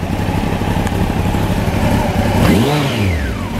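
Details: 1993 Honda CBR900RR, out of museum storage, aftermarket exhaust deeper and throatier than stock: deep inline-four burble at idle, then a quick blip rising and falling smoothly; healthy exhaust note.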